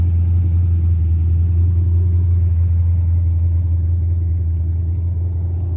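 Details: Carbureted 5.3 LS swap in a Mustang with MSD LS-series ignition: a steady low rumble at a high, even idle that never settles to a normal slow idle. It starts and dies and idles fast; carburetor, timing or vacuum leak suspected.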